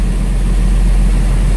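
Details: International 4900 with DT466 diesel after replacing the faulty air compressor pressure sensor: smooth, steady idle with no knocks; warning light cleared around 70 psi.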